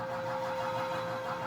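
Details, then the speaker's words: 1982 Emerson 24-inch whole house fan: steady fan whir with a buzzing tone from the loose outside wire mesh screen vibrating; its bolts need tightening. "and it's vibrating with the fan and it's it's bolted on there I'll just have to tighten it but uh that's what that sound you hear is"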